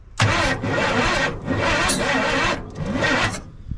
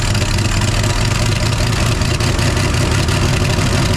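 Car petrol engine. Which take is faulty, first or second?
first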